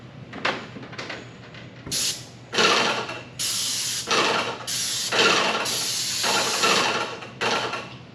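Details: Paint sprayer spraying walls: steady hiss in on-off bursts with each trigger pull, no spitting or surging, louder hiss than before; even spray pattern and coverage.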